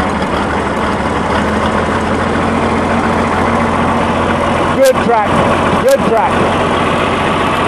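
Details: Tractor just cold-started by turning the key on a cold morning: steady low diesel clatter settling into an even idle with only a couple of brief bumps; normal idle after cold start.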